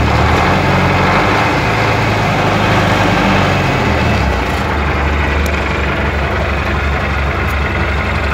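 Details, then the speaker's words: MTZ-80 tractor diesel at warm idle: dull knock about four per second under the clatter from the intermediate support, knock disappears with a little throttle, absent while oil is cold; ball bearings already replaced, PTO shaft roller bearings not. "Зараз покажу, як стукає проміжна опора, а тоді попробуємо ще раз завести."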